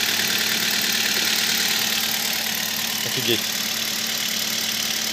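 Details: Kia Spectra just after spraying belt conditioner on a drive belt that squealed on cold morning starts: smooth steady idle under a hiss, squeal stopped; normal idle.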